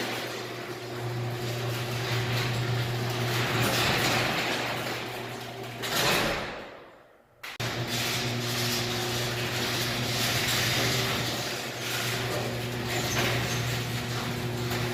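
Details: Garage door opener closing after the safety sensor lenses were cleaned of dirt; previously the door reversed before fully closing. Steady motor drone with low hum as the door travels, short quiet stop, then even run again; no binding, operating normally.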